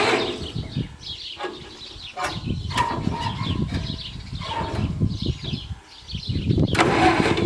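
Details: Massey Ferguson 65 tractor with a temporarily rebuilt carburettor and good spark: uneven cranking bursts break into a few ragged firing beats on starting fluid, while the carburettor still is not feeding fuel properly.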